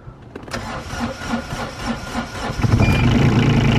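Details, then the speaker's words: Caterpillar 302.7D CR mini excavator diesel, cold start after the glow plug light goes out: brief crank, catches, then settles into a steady even idle with clean firing and no knocks; healthy. "so we'll do a cold start turn the key to the on position the glow plug light it was on one out"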